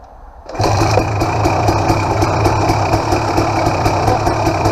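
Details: KTM XC-W 300 two-stroke after a new BR7ES spark plug and fuel petcock, fuel on reserve: it starts right up and settles into a crisp, even idle with a light regular ting. Clean, steady normal idle.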